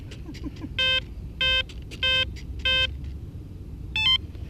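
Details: Short high beeps at an even rhythm, about one per second, over a quiet outdoor background from an E-flite 1.2m F4U Corsair RC plane; the owner says it is not a battery issue, and the beeping is normal electronics.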